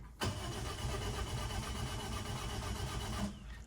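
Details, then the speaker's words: Toyota Ractis 2SZ-FE after home rebuild, fresh oil and antifreeze: steady even cranking about three seconds with spark plugs disconnected, no firing, building oil pressure before first start. "I'm just gonna crank it without the spark plugs connected, just to build up some pressure, and then I'm gonna start it up."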